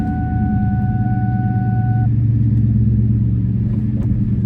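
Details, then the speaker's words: 2001 Ford Mustang Bullitt V8 just after a JLT cold air intake was fitted and a VMP tune loaded, first start. A deep, even idle with a steady low rumble and no misses, ticks or hunting: normal idle, no check engine light. "So we will data log this vehicle eventually, but right now I'm just going to let it start up, let it idle, take it for a quick drive, and see, make sure there's no check engine lights on, and make sure that seems to be working okay, get some more power. So stay tuned. All right, started up fine."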